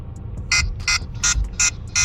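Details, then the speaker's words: KSADBOSSBO/Honghoo 4K body camera: loud high-pitched beeps in an even run of about three per second over a low hum. Owner suspects the low-battery or dead-battery alarm; it stopped once charging power was applied. "it's got some sort of alarm that you know it makes this horrendous sound when when the battery's about to die or the battery's dead"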